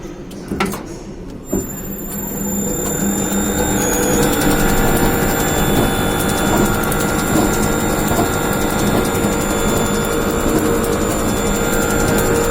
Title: abnormal sound